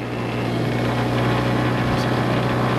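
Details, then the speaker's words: Mooney M20J fuel-injected Lycoming aircraft engine during hot start after flight, 750 rpm idle; steady prop drone with uneven pulsing, spitting and popping; flooding loads up the plugs, mixture pulled back; rough running from fouled plugs. "you know it'll get flooded it'll the plugs will gradually load up and uh that's why it's kind of spitting and popping everything right now"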